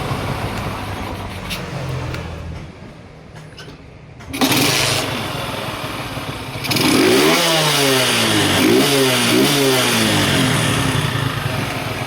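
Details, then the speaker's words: Kawasaki Boxer 150 whose original CDI failed, converted to a 4-pin CDI with the pulser ground cut and an extra wire added; cold start on one kick, then steady idle like stock with clean throttle blips; normal running. "Para din siyang stock mga boss. Stock din yung anar niya."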